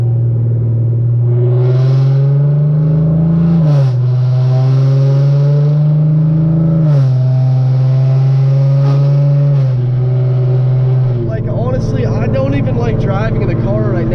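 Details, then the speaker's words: Hyundai Genesis Coupe with NGM headers, fully straight-piped: deep loud steady cabin drone swells and holds between 2500 and 3000 rpm while driving, deafening exhaust drone. "like in between 2500 and 3000 the drone is just deafening"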